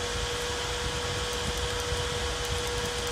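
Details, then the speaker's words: Four-wire PWM computer fan cooling a controller, with the controller at 24 degrees: a steady even airflow hiss that speeds up when the temperature setpoint is lowered; normal fan running. "alors on a vu que le ventilateur tourner au ralenti et actuellement il est à 24 degrés le contrôleur si je baisse la température ici normalement ventilateur voilà il tourne encore plus vite"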